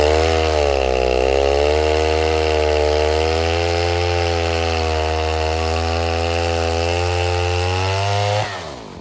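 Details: 070 clone chainsaw, 42-inch bar, first use cutting white oak firewood: loud steady buzz sags in pitch early in the cut and never climbs back to full revs; bogging under load; owner suspects carburetor he can't get tuned.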